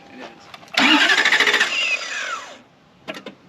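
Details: 1991 Lexus LS400 after sitting about 11 years, strong 675 CCA battery; brisk, even starter whirr for under two seconds that winds down without ever firing, cranks fast but gets no fuel.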